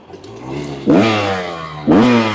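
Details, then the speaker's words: Rieju MR300 Ranger in second gear, wide open on a hill climb under load: note jumps then sags and never climbs freely, won't rev out; rider blames jetting, cause not otherwise confirmed. "You guys could hear there, it just straight up wouldn't rev out. And that is 100% jetting issue."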